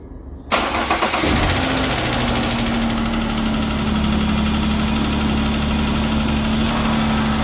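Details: Car with a replacement engine fitted for a friend, first start after cranking with the injectors disabled to check oil pressure: quick crank, catches and settles into a steady, even idle with no ticking or stumbling; runs perfect.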